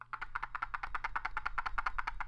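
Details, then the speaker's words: Lenovo Mini Wireless Keyboard (N5901) plastic, non-rubberized trackball shaken: quick string of light plastic clicks, about eight a second, as the loose ball rattles in its housing; gap between ball and sensor lets it move up and down when pressed. "It's smooth, but there is a gap between the ball and the sensor, so you will feel the ball moving up and down as you press it. Also, when you shake the device, you can hear it rattling."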